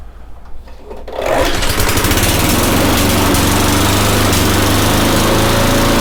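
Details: Eager 1 small engine after choke-to-primer conversion, new spark plug, fresh 10W-30 oil (maybe slightly overfull) and slight engine speed adjustment: catches after a second and settles into a steady, even chug, no misses or knocks; runs healthy.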